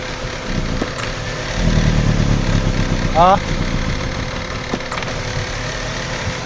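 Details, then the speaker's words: Chevrolet Aveo, manual transmission, with hard starting and low power: an uneven, lumpy idle with irregular shaking, heavy vibration and no pull. Misfire traced to a weak ignition coil. "sobrang vibration po at wala pong hatak ang makina"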